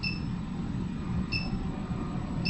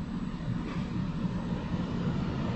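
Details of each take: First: Roof vent fan (Maxxair) in a Grand Design Solitude S-Class 2930RL-R fifth wheel hums with a thin high-pitched whine chirping in about every 1.25 seconds. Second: MaxxAir roof fan in a Grand Design Solitude S-Class 2930RL-R RV, with no vent cover fitted. It had whined high-pitched, but on high there is a steady, even airy rush with no whine; normal.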